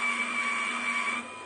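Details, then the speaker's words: Brushless DC motor (FIT0441) driving a homemade worm-drive rudder servo gearbox at 12 V, current rising from 60 to 180 mA under load. High steady whine roughens and strains: gearbox noise under load, suspected not robust. "we can rather hear the gear box complaining that seems to me to be the case even a moderate load so i'm a bit worried that this gearbox is not what i would call very robust"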